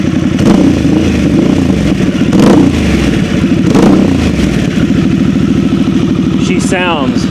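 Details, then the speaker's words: 2022 Harley-Davidson Sportster S warmed up; deep, even loping exhaust pulse at steady idle with no ticks or rattles; normal warm idle. "really really nice"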